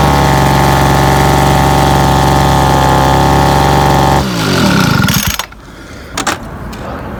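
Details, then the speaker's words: Cheap 26cc two-stroke Homelite 26B handheld blower with no throttle trigger, throttle set by hand: steady high buzzy note at even speed for about four seconds, then shut off; engine runs normally without stalling. "I saw it it started it runs pretty good it really does didn't stall out on me"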